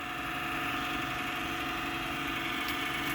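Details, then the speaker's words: Old Pentium 4 2 GHz junk PC that won't boot: steady whirring hum with a rough, buzzy edge and no speed change; the power supply fan is the noisy one and is failing. "Sounds like it might actually be the power supply fan. Yeah, that's the power supply fan, so that's no good too."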